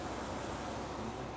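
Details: Ford Fusion with AC that would not cool, after the fix, engine running and AC on at high fan speed: steady, even rush of air from the vents with no squeal or ticking; normal blower operation.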